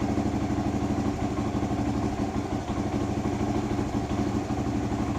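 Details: 1978 Kawasaki KL250 single with new fabricated exhaust, cold on full choke, after cleaning points, static timing and new petcock: steady even thump about three beats a second, healthy idle; points likely were just dirty.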